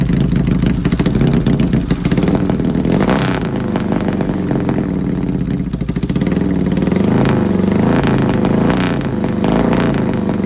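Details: Yamaha XS650 revving: uneven, stumbling beat with irregular pops and dropouts, as if one cylinder is missing fire. Engine misfire, cause not confirmed.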